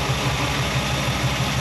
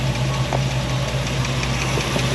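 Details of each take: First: Rebuilt V8 in a Chevy C10 pickup after a valve adjustment for a valvetrain knock, heard through a half valve cover. One valve was possibly too tight and collapsing the hydraulic lifter. It now idles with an even low pulse and no tick or knock. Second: Chevy C10 pickup with a freshly rebuilt engine at idle: quick, even ticking keeping pace with the idle over a steady hum, a valve train noise traced to loose rockers that need valve adjustment.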